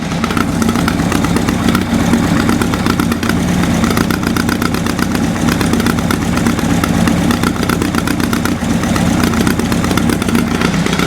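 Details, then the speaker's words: Four-cylinder motorcycle engine, first start after wiring work, not cold, no choke: loud, lumpy, uneven idle with a stumbling beat; one cylinder not firing (cold exhaust), running on three, that cylinder not getting fuel. "one's not firing right yeah i can hold the exhaust that's not firing there's n1 we're running on three"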